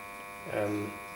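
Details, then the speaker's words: Alfa Laval refrigeration unit liquid line solenoid valve: steady electrical buzz that swells briefly louder mid-clip; owner suspects a loose coil vibrating or the plunger buzzing, and quieter once gas flows. "as I think so a lot of noises if the coils loose it vibrates in inside the metal that's on the outside of it"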